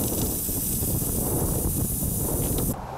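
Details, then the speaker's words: Trailer tire, no bubbles with detergent, then a steady sharp hiss of air spouting as the pump refills it, cutting off after about three seconds; puncture dead center in the tread, marked with an awl for plug-kit repair. "well I'll hook up the pump see what happens when I fill it up again that's when a whale of a hole started to spout"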